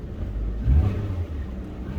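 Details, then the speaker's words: Car after its exhaust was fixed: the engine revs up and settles with a deep, even exhaust burble, with no blowing or rasping, which is how it should sound. "That's how it should sound, which is good. I'm happy about that."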